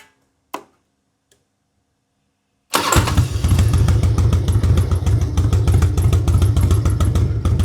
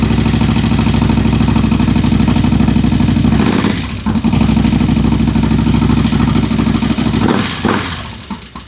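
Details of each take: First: Harley-Davidson Road King converted from Magneti Marelli EFI to a CV40 carburetor, pushrods adjusted, carb retuned: V-twin fires up with no throttle into an even loping idle, lifter tick gone; healthy normal idle. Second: Harley-Davidson Road King, first fire-up after conversion from Magneti Marelli EFI to a CV40 carburetor, cold and on choke in neutral: sharp regular ticking over a loping V-twin idle, suspected stuck lifter, may need lifter replacement.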